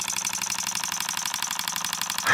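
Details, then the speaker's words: Repaired Stuart oscillating model steam engine of simple bar stock, run on compressed air and being turned down: quick even puffing about a dozen beats a second with crisp exhaust hiss; runs smoothly. "look how nice this one runs let's turn it down nice little oscillating engine listen to that sound that's a beauty isn't it"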